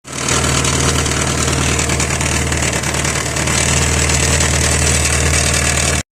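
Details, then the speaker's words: Idling engine with a steady low drone and a buzzing rattle and hiss from the exhaust: the clamp at a pipe joint loosened over time, so the joint leaks exhaust gas and the parts rattle. "Со временем зажим ослаб, и соединение потеряло герметичность. В результате в этом месте начала происходить утечка выхлопных газов, из-за чего детали стали дребезжа"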